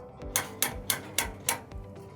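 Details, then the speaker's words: Jayco caravan handbrake lever being pulled up: five sharp evenly spaced clicks about a quarter second apart as the ratchet pawl engages; normal ratchet clicking. "you'll hear it clicking because we're about to take off we need to actually release the brakes"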